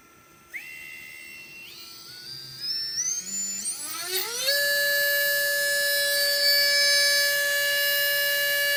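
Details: Readytosky 1804 quadcopter motor on a vibration test after calibration: spools up in steps to a high steady whine with a harsh buzzy edge. Worn bearing, heavy vibration; magnets reportedly come loose from vibration.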